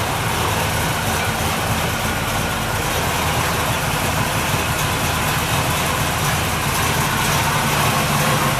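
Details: 383 Chevy V8 in a 1964 El Camino, early start-up: deep throaty idle with steady lumpy beat and some valvetrain clatter, a little noisier than hoped but healthy.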